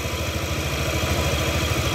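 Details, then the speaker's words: Yamaha Aerox scooter after repair of stalling from a detached cam chain, new components fitted: quick, even putter at idle, no ticking or rattle from top end; engine smooth, problem resolved. "Motor sudah menyala ya, suara mesin sudah halus ya. Mudah-mudahan tidak ada kendala lagi."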